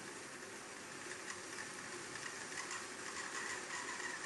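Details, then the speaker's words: Hornby Class 31 Super Detail model diesel locomotive on a DC rolling road after storage: a quick light rattle and thin high squeal at speed, with hesitancy. The owner suspects the roof fan mechanism, which is later removed. "then some rockling in a high-speed squeal now I can see that this is coming from this side of the locomotive"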